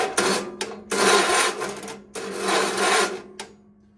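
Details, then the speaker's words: GT/18: two dragging cranking bursts slow and fade, then a last weak try dies; battery discharging, not starting, spark unchecked, to be jump-started. "And there goes the battery. Alright, I'm gonna get some, I'm gonna check spark and everything and hook the battery up to a jumper cable."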